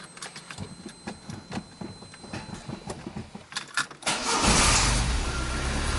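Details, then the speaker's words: 1999 VAZ 21099, about 200,000 km, engine rebuilt at 170,000; complaint was a whistling, sparking alternator. After re-tightening the alternator bolt, the starter cranks about four seconds, then the engine runs steadily with no whistle. Suspected cause was poor alternator ground contact. "но вроде свистеть не свистит"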